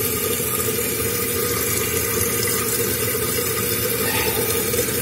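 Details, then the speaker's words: Running toilet, tank open: steady hiss of water refilling the tank with no gurgle or surge after the flush valve flapper is seated; flapper sealing, chain a bit tight and should have a thumb's width of play; normal refill. "The water's rising. Looks like we created a seal with the flapper."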